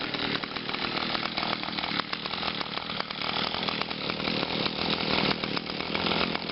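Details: Brand-new 2011 Echo PAS 230, 22.8cc two-stroke, still breaking in and hard starting, running cold on a 92°F day: a high buzzy note rises and falls slightly with throttle and runs without stalling, so it is running normally.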